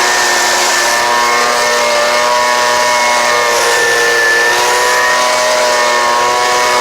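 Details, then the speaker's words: Homelite UT09250 two-stroke after carburetor work: high steady buzz, even pitch, no misses or surging, running clean and healthy. "so that sounds pretty good right there"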